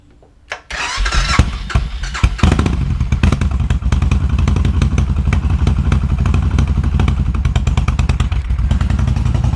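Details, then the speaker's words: 2000 Suzuki Intruder 1400 V-twin, said to have low compression, fuel fed directly to carb bowl: cranks, catches with a hiccup, settles into loping slightly uneven idle; compression OK, no misfire, carbs likely unsynced, plugs probably needed. "And there we go. It runs. A little hiccup there. Cards probably aren't synced. Probably needs plugs, but we don't have a misfire."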